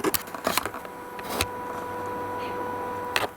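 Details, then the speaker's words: Panasonic HDC-TM700 camcorder that shut off after 10 seconds with blinking red LED because its fan wasn't spinning, fan freed by disassembly: faint steady high whir under handling clicks; cooling fan now spinning freely, normal. "I couldn't hear that before so somehow this was either bound up or unplugged or something when I pulled it apart and freed it up and it's working just fine now"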